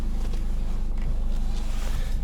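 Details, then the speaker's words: 2011 Nissan X-Trail T31 idling steadily with no squeak or creak as the steering wheel turns, after lubricating the steering column. "проверяем никакого скрипа нет"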